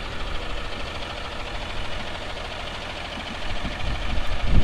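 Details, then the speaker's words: Freightliner FL70 diesel, just back from the shop for a check engine light, started cold with a little smoke: steady, even low idle with no knocks or misses, rising as it warms up. Sounds like a Dodge pickup; normal idle. "if you were to turn around and not look at the truck and hear it idling it would sound just like a dodge pickup or you would think it was a dodge pickup"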